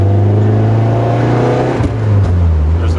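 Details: Stock Nissan 240SX with KA engine, cold, revved around 3000-4000 rpm: deep rumble with sharp exhaust pops as revs fall; popping between shifts when cold, owner replaced coolant temp sensor hoping to fix it.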